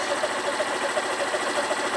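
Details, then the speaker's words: Derbi Senda Cross City 125 at idle, the idle screw being backed off from about 1700 rpm toward the 1400 ±100 spec, now about 1600: a quick, even putter with a steady ticking beat. "it's going lower. And you want to have it at about 1,400, give or take 100."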